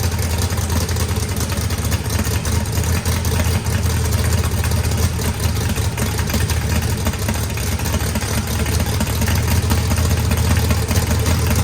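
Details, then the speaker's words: Freshly built 409ci small block Chevy, turbocharged, higher compression, fuel pressure just adjusted: deep, loud, lumpy V8 idle holding steady rpm with a rowdy edge but no knocking; good oil and fuel pressure, healthy fresh engine. "It cranked up, runs fine."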